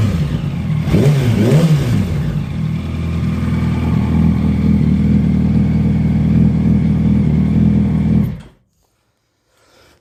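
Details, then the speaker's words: 2008 Yamaha YZF-R1, 14,000 miles, warm idle, side cover off: steady light clatter about four times a second from the top end near the exhaust valvetrain; manual cam chain tensioner fitted and valves adjusted, source unidentified. "it definitely sounds like it's on top of the engine um uh this sounds uh more valves made in between the gas tank it's not a cam chain tensioner"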